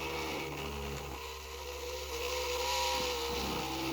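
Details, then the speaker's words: 3D-printed maglev motor spinning at about 4,000 rpm on 12.3 V and 0.10 A: fast, steady whir with a buzzing rattle on top; vibration noise because the stand is unstable and lacks rubber feet. "we're running this puppy at 12.3 volts at uh 0.10 amps it's making a lot of noise but that's because of the"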